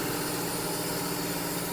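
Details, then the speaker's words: John Deere 6175R tractor after warranty repair, throttle-body spacer fitted and exhaust done, before warm-up and calibration: even diesel idle with steady hum, no knocks or hunting; engine idling cleanly, not too loud. "Та не такий ж він і громкий получився також наша проставочка Як бачите замість дросільно заслон он Вона стоїть тоже красота стала провода всі убрали вихлоб з нижевійки готовий чітко працює двигун"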